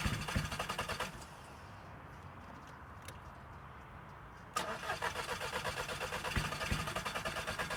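Starter churns at roughly three turns a second, pauses, then cranks again without catching; engine cranks but will not fire. Cause suspected, not confirmed.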